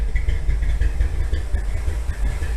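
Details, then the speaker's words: 1957 Chevy V8, sat in a garage for years, revived: deep, even burble at low idle, steady beat, no knocks or misses; idling now, float likely came unstuck; 35 psi oil pressure at low rpm, temperature staying low; normal idle. "Oh, it's actually idling now. Maybe the float came unstuck."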